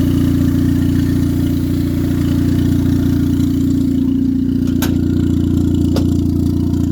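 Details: 1996-99 Honda Civic EK turbo after alternator replacement: even, steady idle with a smooth low hum, no stumbles or misses; no longer bogging like when the old alternator drained the battery.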